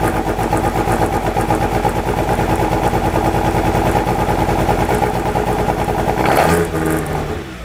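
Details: 1997 Miata, stock block, ported head, 264 cams, Maruha ITBs, Freedom ECU, at first start: loud lumpy chuffing idle that blips then fades; a burnt-out TPS makes the ECU read wide open throttle, and the throttles likely need resyncing.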